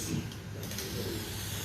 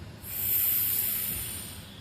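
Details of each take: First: Vacuum filtration on a plastic Büchner funnel without a proper seal: a soft, steady rushing hiss of air under a low rumble, leaking because a good vacuum is not being pulled. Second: Rotary evaporator with rotation stopped and the vacuum turned off: a sharp rush of air hiss swells and fades within about a second as the vacuum is broken; a normal vacuum release before removing the flask.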